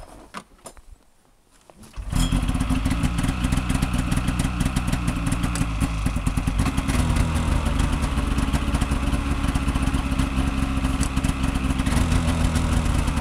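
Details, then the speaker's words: Snowmobile with twin carbs and oil injection, two-stroke, cold start on full choke after a night at minus 20-something, frost on the tank: quiet, then fires in about two seconds and settles into a crisp, even idle without stumbling. "all right so that's a cold start it was running yesterday but has it been last night it was minus 20 something so it's C full choke"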